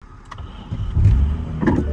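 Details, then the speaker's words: Damaged Toyota Supra being rebuilt: engine revs in short bursts with hard clunks underneath while the car won't move; the driveshaft had popped out, leaving the car unmovable. Driveshaft disconnected. "Ooh, yeah, if you don't know what that sound is, that's the drive shaft that popped out and the car was unmovable."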